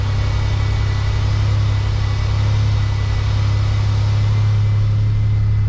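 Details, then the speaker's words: Warm engine, temperature gauge near half, idle climbing to about 1500 rpm with no throttle instead of the normal 750–800; a fast, rising idle blamed on a faulty throttle position sensor (code P0121). "And this idle is just going to go up by itself without me pressing the gas. Y'all could kind of hear the idle going up already."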